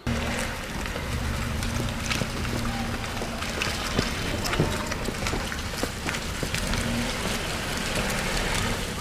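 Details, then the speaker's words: Road test after replacing front lower control arm with worn, loose lower ball joint (welded to arm) that caused loud underbody noise when turning: steady road and cabin hum, no clunks or knocks; front suspension now quiet. "我们试车可以听到这个声音已经消失了，所以我们开车的时候，如果听到这种声音，可以自己先检查一下下球头，如果有间隙磨损了，就会发出这种声音。"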